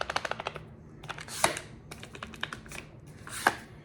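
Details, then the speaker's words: Daniel Defense PCC carbine shaken by hand: quick burst of light dry clacks then single clicks from the loose pistol brace; upper-to-lower fit is solid, the rattle is the brace. "So when you hear this like rattle, if you can hear that on your end, it's the brace."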